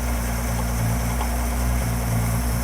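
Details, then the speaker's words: 1966 Ford 200 cid inline six from a Falcon, at first start: steady, loud, deep idle with an even low drone and slight pulsing, rough at first; fuel was seen leaking when the accelerator was pushed, and the loudness cause is unconfirmed. "idling a little rough initially we have a running six-cylinder [Music] folks what I can't hear you it's really loud Jackson said it's really loud"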